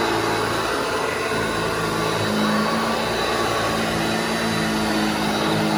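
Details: Restored vintage Hoover Junior 1334 upright vacuum, demonstrated after full restoration and reassembly: loud steady roar with constant hum and whir, no rattles, scraping or speed wobble; motor running healthy.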